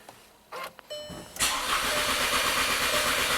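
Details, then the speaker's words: VW Tiguan turbo direct-injection after new high pressure fuel pump and oil change, cranking with coils disconnected (no ignition) after swapping spark plug 2 into cylinder 1; brisk uniform cranking beat, no light strokes: normal cranking, compression okay. "Normal. Okay, so compression should be okay."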